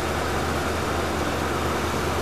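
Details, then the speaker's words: Cold start of a 1973 Mercury Marquis Brougham 460 V8 with a new fan clutch: steady, even low rumble at raised cold fast idle, no knocks or misses; normal, smooth running. "let's start it up here it is cold so it'll be on fast idle"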